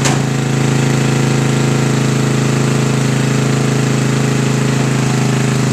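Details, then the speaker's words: Sears Craftsman riding mower single-cylinder engine on a spare rebuilt carburetor after the gunked original was removed: fast steady hammering run with no stumbles, but only runs with choke on the whole time; carburetor problem. "So this one, the only way it runs is if the carburetor is on the choke the whole time."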